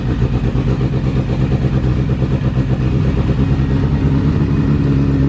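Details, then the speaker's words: Acura sleeved GSR B18 just started, a little cold: uneven idle with loose clattering rattle while clutch released, vanishing when pedal pressed; clutch discs flopping around. "Push the clutch in. Let it off. Hear that noise go away? The discs aren't flopping around anymore."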